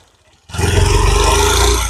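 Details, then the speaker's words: Hunk motorcycle engine just started: harsh metallic clatter over the idle, sounding like something breaking inside; caused by wrong intake/exhaust valve (tappet) clearance at the rockers. "Start করার পরে এইযে একটা আওয়াজ আওয়াজটা দেখছেন চুরমার হয়ে যাচ্ছে মনে হচ্ছে এই ইঞ্জিনের ভিতরে চুরমার হয়ে যাচ্ছে"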